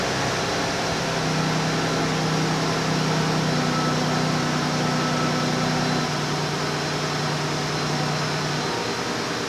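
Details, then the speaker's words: 2008 Chrysler 300 2.7 V6 after misfire repair: restarted with the fuel pump primed after the fuel lines were emptied. Cold engine idles high and steps down smoothly with no stumble, relearning idle after a month of rough running. Normal idle. "All right, nice starting its step down procedure, cold engine, idling high, cooling down."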